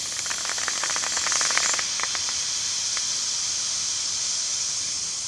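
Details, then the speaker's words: Bicycle inner tube inflated to 65 PSI maximum: sharp continuous high hiss with rapid early patter, gauge needle falling fast; tube deflating quickly, judged no longer good. "Quand ça fait ça, c'est assez rapide. L'aiguille, la manière qu'elle baisse, puis le bruit aussi qui dégonfle full vite."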